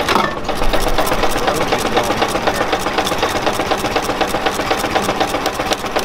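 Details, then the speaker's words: Four-cylinder engine running on the magneto, which also has a rod knock: an uneven hammering idle with a lumpy, loping beat at about four per second. One cylinder, probably number two, is not firing. "I was not even firing when I cancel spark on this one it uh it hammers pretty hard it has probably number two not number one"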